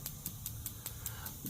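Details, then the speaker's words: Engine not running, standalone EFI ECU test forcing injector one (cylinder 1, injector A) on: sharp, evenly spaced clicks about five per second, injector firing properly. "so that's the sound of injector one firing there"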